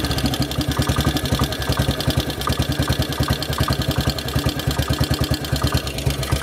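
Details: Model 8 motorcycle engine at idle, recorded cold then hot, with a sharp regular knock about nine a second; more noticeable riding at 40 mph and above, cause not yet known.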